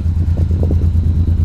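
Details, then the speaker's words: GM G-body car on its second try with a suspected bad ECM, smoking heavily after idling five minutes, driven at full throttle: a low, lumpy exhaust beat with uneven pulses and dropped beats; not firing on all cylinders. "doesn't sound right that's Florida I got to the floor and definitely not hitting on all cylinders"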